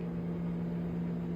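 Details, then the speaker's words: Newly installed Samsung 30 in. 1.7 cu ft over-the-range microwave running a 30-second cycle: steady, even low hum with a smooth fan whoosh, no rattles or buzzing. Occasional turntable plate clunks were noted separately. Normal running sound. "This microwave is not noisy."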